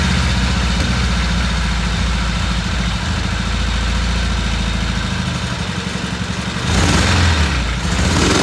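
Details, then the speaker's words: 1974 Norton motorcycle after new fuel lines and cleaned carburetor bowls and pilot jets: even, lumpy twin-cylinder idle with a steady beat and a small blip near the end, no misses or mechanical clatter; healthy idle. "oh that sounds good I think I will apparently wipe down here"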